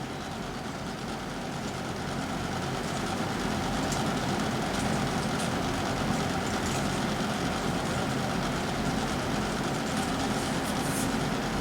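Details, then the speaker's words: Lasko 3720 WeatherShield box fan on low speed, cold at first, steady whoosh with fine buzzy bearing rattle that lessens after a few minutes as it warms up; moves less air due to dust buildup. "wow and we'll go down to the one and on the ones we're going to hear that bearing rattle for a little"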